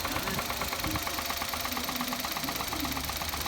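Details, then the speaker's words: Engine idling after adding Motor Up oil additive for an abnormal noise; sharp metallic bottom-end knock about three a second over rough idle; owner suspects a worn bearing (metal), additive didn't help. "多分これメタルねえぜ、きっと俺は。"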